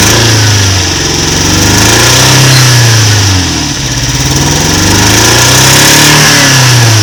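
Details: Toyota MK1 MR2 with a rough, shaky idle: uneven lumpy beat, as if one cylinder is not working. Codes 4 and 6 set, injector resistance 3.6–4 ohms versus 1.5–3 spec, no vacuum leaks found; cause unconfirmed.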